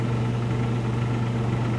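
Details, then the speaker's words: Newly installed Mr. Heater Big Maxx 80,000 BTU propane heater with a suspected pressure switch fault: it runs about 40 seconds, then the gas valve clicks off and the flame drops out. Only the blower hum remains, and it re-ignites 15–20 seconds later. "So here it shuts off. You can hear the valve, the gas valve clicking off. And then the flames go out. Blower motor is still running, but the flames are out."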